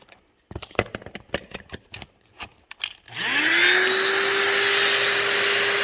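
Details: La-Z-Boy SlumberAir air mattress after fixing the faulty latch with a metal piece behind the catch; handling clunks, then the pump starts and its hum climbs to a steady even drone as the bed fills without the pump popping off.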